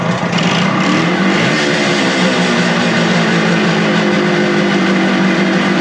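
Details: Suzuki two-stroke motorcycle with non-original carburetors, after cleaning and on-the-fly idle/mixture screw adjustment: steady, even buzzing idle with constant low pitch, no misses, surging or knocks; normal idle, running well.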